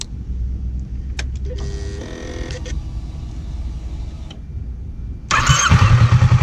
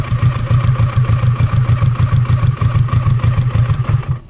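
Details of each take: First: Kawasaki Versys 650, fully warm after about 20 minutes running: hot start catches instantly with no hesitation and settles to an even idle, stabilized at 1,300 rpm. Normal hot start and idle. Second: Kawasaki Versys 650, fully warm engine, idle screw turned anticlockwise from 1,300 rpm to lower idle: idle pulses unevenly about three beats a second then dies at four seconds; stall from idle set too low.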